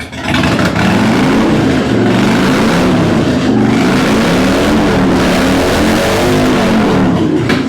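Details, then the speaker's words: 2006 Harley-Davidson Dyna Wide Glide fuel-injected V-twin, earlier rear-cylinder code cleared: starts and idles fine, but revving sounds ragged and hesitant; stumbling under throttle, owner suspects fuel map not remapped for aftermarket pipes. "It does start up fine. It idles good. When I get on it, that's when the issues start."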